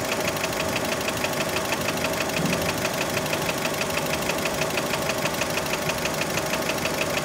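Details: Fiat Panda engine, warmed up, idle: sharp regular metallic ticking knock, about three per second, over steady idle; many suspect piston skirt (piston slap), not confirmed.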